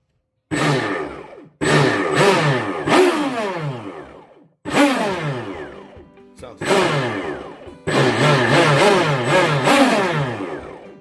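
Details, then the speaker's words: Rampage Twin Cat RC boat brushless motor after rebuild with new bearings, bench-tested on two 6S batteries with light revs: five clean rising whines winding down evenly, no pulsing; runs perfectly smooth and healthy. "Smooth, no pulsating, no nothing. This MF is ready to blast off."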